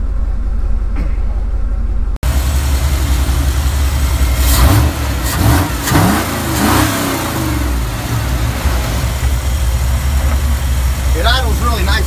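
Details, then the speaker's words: 351W with a MABBCO performance short block, estimated at about 325 hp, in a truck with 4.11 gears and 33-inch tires: deep, even V8 idle at about 600 rpm with a brief throttle blip and a steady exhaust rumble; normal idle. "really nice about 600. I actually got it to idle down to about 450. Listen to the exhaust"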